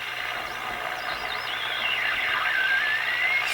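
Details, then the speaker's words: Westinghouse 622 vacuum tube radio after tube changes and rewiring, tuning shortwave: thin whistle wavering up and down over hiss, signal breaking up; suspected internal oscillation, possibly dirt, cause not confirmed. "now that that sounds like some kind of internal oscillation to me"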